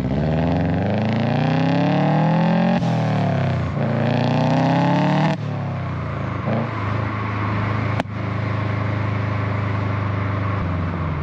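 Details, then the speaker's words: 2008 Subaru Legacy GT after installing a GFB Respons blow-off valve: revs rise and fall with very loud sharp exhaust pops as throttle closes on deceleration. "there were some really, really, really loud pops. I mean, at least to me, they're super loud."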